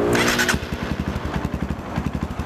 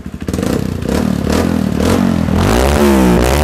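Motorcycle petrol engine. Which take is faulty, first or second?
first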